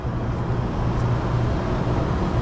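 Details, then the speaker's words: Large Trane unit after condenser motor replacement: the blower motor ramps up from about 17 Hz toward 25 Hz as a deep, steady rumble that swells slightly, with no grinding or rattle; normal spin-up. "oh that's the blower blower motor starting to ramp up"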